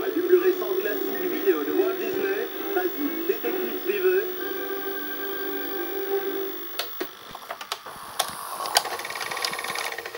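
A warbling mid-pitched whirr from the deck, then a run of sharp mechanical clicks and clatters; a noisy mechanism, cause unclear.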